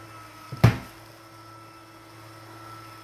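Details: Litter Robot 3 on its return cycle: a faint motor hum throughout, then a single hollow bang as the globe turns. Cause of the bang unknown.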